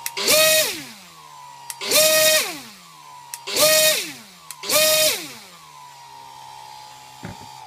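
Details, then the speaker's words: Brushless motor (2200 kV, 3S) on a Pixhawk with the ESC 5 V BEC line connected spins up four times with a high whine, each start preceded by a brief grind; a sync issue, improved but not fixed. "so that's the you can kind of hear the little quick little grind before it picks up speed"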